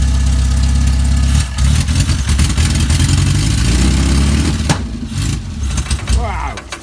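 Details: Banham Superbug kit car first start-up, battery fitted, firing order 1-3-4-2 set, loose coil noted: very loud raw rapid popping, settling and dying away, with no exhaust fitted; exhaust system needs checking.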